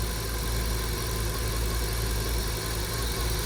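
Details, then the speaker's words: Audi S8 V10 first start of its replacement engine with both air mass meters connected: deep, lumpy, shaking rough idle, since air is being sucked in somewhere midway, a vacuum leak upsetting the fuel ratio; it idles better with the MAFs unplugged. "with airmass meters the engine is running like really rough so soon as it will start giving the signal to the ECU like how much air is actually coming in and somewhere in Midway it's sucking some air what shouldn't be there"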